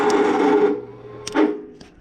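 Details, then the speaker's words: Free Simplicity riding lawn mower, starter bench-tested with direct 12 V with the key on: a short whir that winds up and coasts down. The starter motor spins freely. "now if you hear that the tire starter is still hitting a little bit so that's good news"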